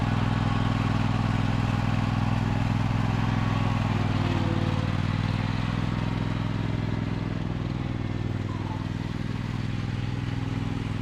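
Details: 2003 John Deere L120 hydrostatic mower, Briggs 20 hp V-twin, after bleeding the hydrostatic transmission: smooth even low drone, no knocks, slips or drive whine; healthy.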